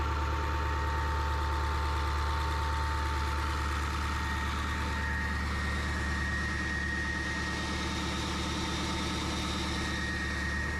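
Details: 2002 Ford F250 7.3 Powerstroke diesel, about 200,000 miles, idling after replacing the water pump, believed to be the original Motorcraft, that leaked from the weep hole. Even diesel clatter at a steady idle, no stumbling, rattle or squeal; the engine idles healthy.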